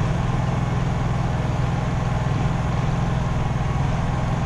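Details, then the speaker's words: Honda EU3000is inverter generator, after oil change and maintenance, started with choke and eco mode on, recorded right next to it: steady low even drone with soft regular beat, no load; normal eco-mode idle that automatically picks up revs under load. "as you can see we're right next to it this is pretty much how it runs the whole time we're up at the cabin just burn away like that if it does get under a load when the Eco mode is on it will automatically pick up as far as it needs to go"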